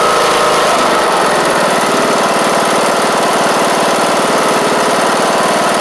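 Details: John Deere D110 mower with a newly installed replacement engine and reconnected fuel pump: steady even chug at about two beats a second, nothing knocking or missing; running properly.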